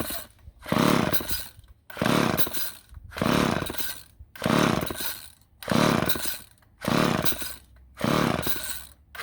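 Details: Old chainsaw with Ohlsson & Rice engine, sat unused 20+ years, first start attempt: seven rope pulls about 1.2 seconds apart, each a brief rasping spin with no firing; cranks but won't start.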